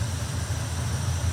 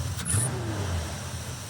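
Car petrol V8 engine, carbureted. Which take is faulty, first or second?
first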